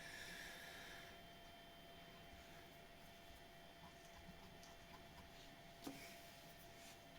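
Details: Bambu Lab X1 Carbon 3D printer bed: faint steady motor hum with no squeak after lubricating the belt tensioner roller. The squeak came from the belt pressing against the roller's upper or lower edge as the bed moved; squeak nearly gone.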